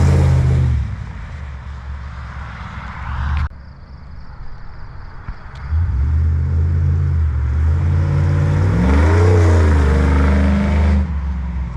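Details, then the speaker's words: First start-up clip of a high-mileage 21-year-old GMT800 Chevy Silverado/GMC Sierra 1500 V8 after used long-tube header install: deep, even idle burble, then clean rising revs and back down without stumble; normal. "So we are going to put this down and get a first startup clip, some revs, and so far I am impressed. That sounds really good."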